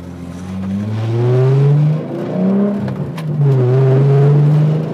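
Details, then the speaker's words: 1993 VW Corrado VR6 driven under throttle: deep, loud exhaust drone rising and falling with each throttle stab, much louder than when previously quiet; loud exhaust, cause unstated. "so this exhaust is very loud when i first saw him with the car it was very very quiet and uh now it is very very loud"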